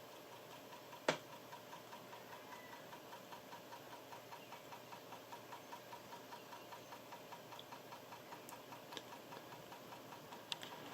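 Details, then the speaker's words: Floppy drive on an Amiga while loading Super Stardust: quiet, steady clockwork ticking about four a second with no seek or read noise; the disk doesn't load and nothing appears on screen. "I'm not sure if you can hear the ticking but it's almost like a clockwork going on in there"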